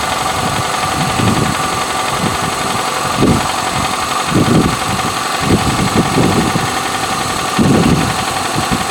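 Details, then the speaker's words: 1987 Toyota Camry LE 4-cylinder automatic, over 202,000 on the clock, cold start after three days unused: steady idle with irregular bursts of low clanking about every second, expected to fade as it warms. "it's clanking you hear it as it warms up a bit the noise will subside"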